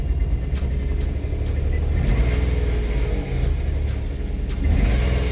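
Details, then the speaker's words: 2011 Nissan Teana, first start after engine replacement with muffler not fully connected; deep, loud, throaty rumble as engine catches and runs; exhaust leak from unconnected muffler, check and battery lights on. "okay, so the muffler isn't fully connected now, so that's why it sounds extra low."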